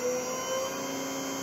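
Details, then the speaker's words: 1200 RPM motor driven by a Hopewind 5 hp VFD via potentiometer speed control, overdriven to about 90 Hz reaching 1800 rpm: smooth steady electrical whine with even hum; running normally. "that's 1800 rpm on a 1200 RPM motor in 1800 RPM with the gear reduction that I'm going to have"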